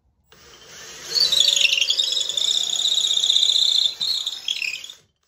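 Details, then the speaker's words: Cordless drill boring a long deep hole through stacked wood boards: high wavering squeal over the motor as the bit works harder, rubbing against the cavity and packed debris; pulled out early to clear chips. "when you have a long hole to go through like that, as you get deep down into it, there's going to be debris and the bit's going to be working harder, and some of that noise is, you know, the bit rubbing up against the cavity it's just made."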